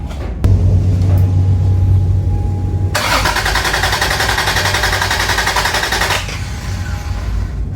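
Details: Toyota Cressida MX83, first start after engine reinstall, fuel primed, low oil pressure: starter cranks evenly about three seconds but never catches; fuel and spark present, intake backfires, distributor suspected out of time.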